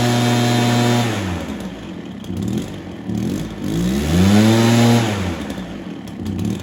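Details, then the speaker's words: Stihl BR430 two-stroke blower, sat for an unknown time, started on choke, before idle was turned up and carb tuned: surges up and sags, hunting instead of holding steady idle; rough running as if still wanting choke. "I don't know how long it's been sitting for sounds like it wants to run with a choke on"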